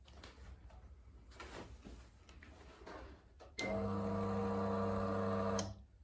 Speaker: So if you can hear that click, and you'll see that light go on there, that's saying that it's getting a signal and it's working.